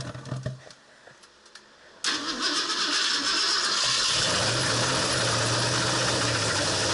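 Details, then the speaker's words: 1968 Ford Torino FE 390 V8 with Edelbrock top-end kit, first start after rebuild: cranks and catches, then lumpy idle stumbling nearly three times a second; misfire suspected, cylinders and timing being checked, header pipe possibly hitting frame. "well how come it's still lumpy do we have a lumpy here is this making it Lumpy"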